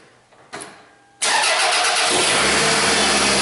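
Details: 2004 Toyota RAV4 2AZ-FE, first start after stripped head bolt Time-Sert repair and coolant refill: starter cranks briefly, engine catches cleanly and settles to steady even idle, no stumble or knocking. Normal start and idle.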